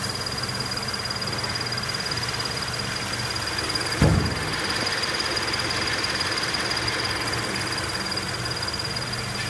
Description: Some Scion FRS vehicles may exhibit a high pitch chirp or squeak noise from the High Pressure Fuel Pump Assembly when the engine is fully warmed up and idling.